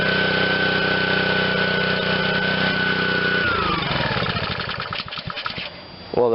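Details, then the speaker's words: Honda GCV160 on Black Max pressure washer after sitting: runs steady a few seconds after priming, then revs sink and it dies on its own; owner suspects bad gas, plans carb cleaning. "yeah just just uh will not run on its own if i prime it it'll start and run but uh my guess is bad gas clean the carb and we're gonna be okay"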